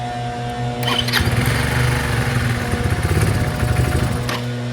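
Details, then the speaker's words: Chinese 150cc GY6 scooter, started with starting fluid, fuel mixture adjusted: rough, uneven revving that surges and sags without clean pickup, bogging on acceleration from a stop until it reaches a certain rpm. Owner plans to delete the airbox and fit a new carburetor with a cone filter. "I just can't get it to stay running, and it bogs down when you accelerate."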